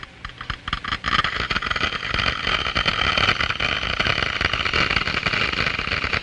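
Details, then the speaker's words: Glass venturi, water flowing with increased flow rate: dense crackling hiss like gravel in a pipe as water boils at room temperature in the low-pressure throat and bubbles of cold steam collapse entering the higher-pressure diffuser. "bubbles are formed. These are cavities filled with cold steam and other gases diffused from the liquid. The noise is generated by the collapse of these bubbles as they move into the higher pressure in the diffuser."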